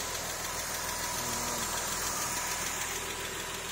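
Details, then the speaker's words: Porsche 996 3.4-litre flat-six with automatic gearbox, first start after the engine was refitted following major work, checking for oil leaks: steady, even, fast smooth idle with hiss on top, no knocking or misfire; healthy. "And we just started up today to make sure it's working and make sure there's no oil leaks or anything out of ordinary, double check it."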